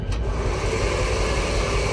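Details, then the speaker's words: Locomotive heater motor during an inspection: a steady, harsh droning hum with a gritty rumble and no rhythm, running rough; worn brushes are suspected and then replaced. "This here sounds a little creepy. I think it's time to replace some brushes."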